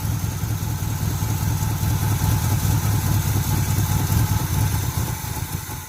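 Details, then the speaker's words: 1980 Chevy K10 V8 with new starter, gas tank removed: lumps along at a loose, uneven idle for a few seconds on carburetor bowl fuel, then fades and dies as the bowl runs dry. "I guess it's running off the fuel in the carburetor bowl. It won't run long."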